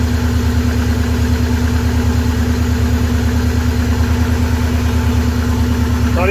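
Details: 23-year-old Subaru boxer idling after water pump replacement while checking for coolant leaks: even, steady idle with a smooth low pulse about 140 beats a minute, no misses or knocks; engine healthy.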